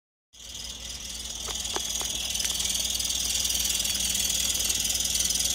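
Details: 2003 Toyota Yaris at idle: high, thin chirp repeating about four times a second over a steady idle, from the engine bay, possibly the belt area; cause undetermined.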